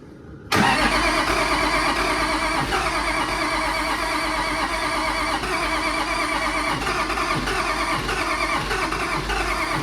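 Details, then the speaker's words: Allis Chalmers D17 Series One tractor after fuel pump install and starter repair: the engine turns over steadily on the starter without firing despite ether; the owner suspects low compression. Cranks but won't start. "Is it hitting on the ether? I don't know. It ain't heating on. Huh? It actually just got low compression."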